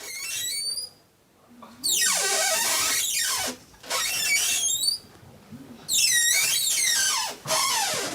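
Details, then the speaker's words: A door is opened and closed, giving loud, wavering high squeals in several bursts from the dry hinges. Static friction in the hinge builds to its maximum, then drops as it slips into sliding, a stick-slip effect. "Вы слышите приятные, в кавычках звуки. Почему это происходит? Когда я немножко приоткрываю дверь, в дверных петлях возникает сила трения."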